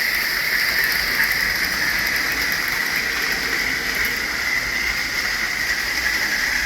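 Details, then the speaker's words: Tyco Grand Trunk Alco C430 model locomotive, after its power torque drive was cleaned and oiled to cure rough running and a squeak: steady high motor whine, even hum, no rattling or catching on the track; normal running. "There we go. I think it's running pretty good."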